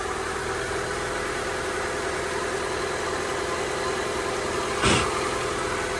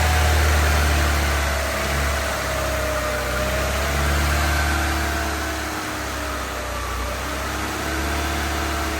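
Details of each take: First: Honda EK hatch, D16Y7 freshly refreshed (head gasket, water pump, timing belt, seals), settled after first start-up, idle about 1,300-1,500 rpm: even fast idle hum, steady note, no misses or ticking apart from one brief clunk; normal idle. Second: Honda EK hatch, D16Y7 freshly refreshed (head gasket, water pump, timing belt, seals), first start-up: idle rises and sags every couple of seconds under a faint belt squeak. Owner suspects burning off oil, not an exhaust leak; irregular idle.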